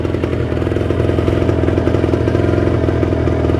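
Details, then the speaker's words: Cold Kawasaki Ninja 150 RR two-stroke at fast idle around 2000–2500 rpm during warm-up: steady, quick crackling idle with no hunting or stumbling, settled and fuelling cleanly, indicating fuel circulation is flowing. "Dan biarkan rpm nya itu naik kurang lebih sampai 2000 2000-2500 kalau dia sudah tenang di angka RPM tersebut"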